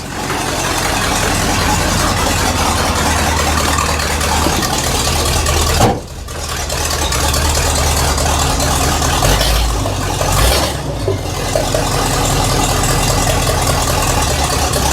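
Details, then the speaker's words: 1979 Chevy K20 squarebody truck, first drive start after sitting about 30 years, pumped six times: the engine catches and settles into a steady low rumble with one brief dip; owner says it doesn't sound its best, maybe the exhaust. "now it is a square body so you got a pumper six times and it should just fire right up"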